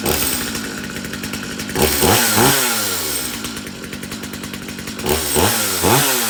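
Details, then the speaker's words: Stihl MS250C Easy Start chainsaw, dropped off because it would not start. It starts on a gentle pull and settles into a crisp, even two-stroke buzz with clean throttle blips. It started without any problem and sounds healthy. "start started no problem okay okay so this ms250c started up without any problem"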